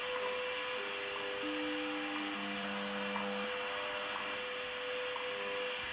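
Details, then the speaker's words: Kmoon FY6800 signal generator near 10 MHz with a small antenna, beating against WWV: steady high tone while a lower heterodyne tone steps down over static; generator is off frequency and measured 10.0002 MHz. "i got a tone now coming up from heterodining with wwv i have a little antenna on this thing going out and [Music] you can hear the vector dying so that means i'm off frequency i'm trying to go"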